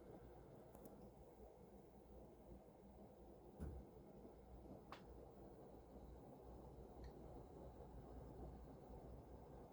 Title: Mitsubishi Heavy industries air con making noise in cooling mode.